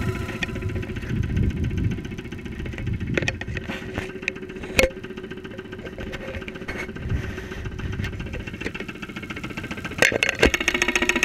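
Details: 2001 Saturn SL2 at idle, stethoscope microphone, after being run with very low oil; not run for two months and hard to start; oil pressure about 35-40 psi at idle. Irregular knocking over a rough idle; cause unclear, possibly low-oil wear.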